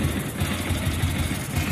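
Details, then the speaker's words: Motorcycle with head noise complaint, after adjustment: steady, even low idle thump with no ticking or clatter from the head; head, camshaft and rocker arm judged fine, cam chain tensioner needs replacing. "அப்போ இந்த வண்டியில் head, noise, game shaft, ரேக்கராம் எல்லாமே நல்லா தான் இருக்குது."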